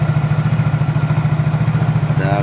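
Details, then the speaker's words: Yamaha Mio J automatic scooter, customer complains noisy engine and transmission: idle with intermittent irregular squeak from CVT; rear pulley squeak from worn seals and damaged pulley sleeve. "Ya, terkadang terdengar, terkadang tidak. Gatal. Ah, ada suara berderit yang tidak beraturan."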